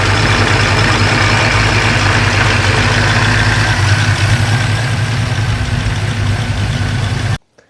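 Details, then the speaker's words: 1940 Ford supercharged engine: rough, loud idle with an uneven metallic clatter about three times a second; supercharger rotors likely starting to touch, owner hopes new needle bearings will fix it. "So yeah, obviously, as you can hear, that's less than ideal, but it doesn't sound completely catastrophic. It's likely that those rotors are just starting to touch."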